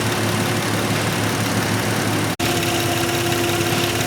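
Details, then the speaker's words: Nissan Maxima after replacing the fuel injector: steady, even idle with no stumble or skipped beats and revs well; cylinder misfire fixed. "it's nice and steady no miss it revs good so we definitely fixed our misfire"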